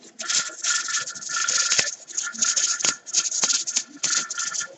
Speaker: Okay, it just started coming up to a rattle. And I'll tell you what it is.